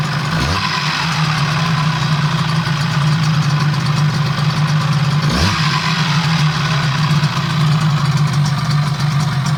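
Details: Yamaha 12A outboard, first start after major overhaul; steady, even low putter with no knocks or misses, clean smooth idle; normal.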